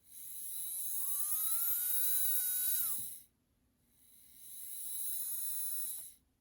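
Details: Bowser K11 4-6-2 model steam locomotive motor after cleaning and oiling during an overdue tune-up: two short runs of clean high whine rising, holding steady and winding down, sounding better, smooth with no grinding.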